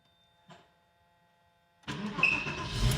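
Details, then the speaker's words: Porsche 986 Boxster S, 48,000 miles, off road for 3.5 years in a barn, fuel pump replaced, first start after priming: fires at once and catches cleanly into a strong, even run with slight rev; normal start. "Hey, >> it lives. She lives."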